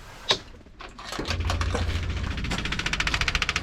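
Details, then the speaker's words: 1957 Chevy hot rod, key on: the electric fuel pump ahead of the rear wheel gives a fast dry ticking, about 3–4 clicks/s, running but delivering no fuel even though the tank seems to hold gas; dirty, rusty tank suspected. "so we're not getting any fuel at the fuel pump"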